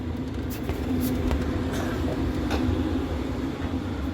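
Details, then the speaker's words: Travel trailer propane furnace after about 4–5 minutes lit via jumped thermostat terminals (thermostat suspected faulty): steady burner roar over even blower hum, constant low tone, no surging or cutting out; normal furnace operation. "Furnace is cruising in a messed up state."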